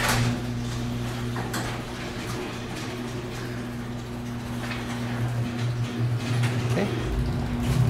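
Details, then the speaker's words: Garage door opener test after replacing a broken torsion spring with high-cycle springs and reconnecting the trolley: steady motor drone with low hum as the door travels smoothly, no grinding or straining; normal operation. "good sounds good works good"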